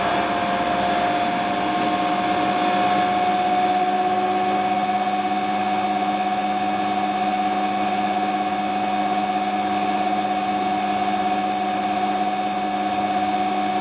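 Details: Hotpoint Ultima WT960 washing machine (7kg) test spin after repair with a brand new replacement drive belt; steady even whirr at constant tone, no knocking, slapping or squeal; belt and drum spin smoothly, normal spin cycle.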